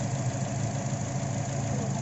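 Low, uneven idle with a faint irregular stumble under the engine note, consistent with a misfire from a failing coil pack.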